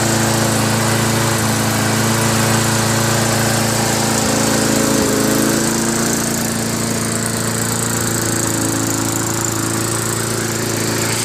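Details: Craftsman Eager 1 lawnmower with Tecumseh engine after fixing the recoil starter rattle and adjusting the idle screw and governor spring; steady even drone with no rattling or surging, runs smooth.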